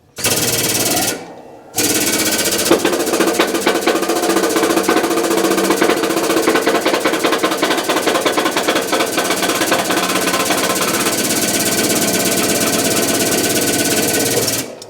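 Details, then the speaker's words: Hydraulic shop press being tested after modification: fast, uneven metallic clatter probably comes from loose plates sitting on the press and shifting around, not from the press itself. "you know probably a lot of the rattle you're hearing is the other plates setting up here see they're kind of moving over so let me get these off of there"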